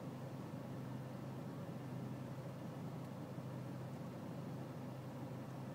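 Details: BMW E46 320cd diesel at low engine and outside temperature: low, dull idle with a faintly uneven, lumpy beat under a steady hiss; a rough, unsettled cold idle.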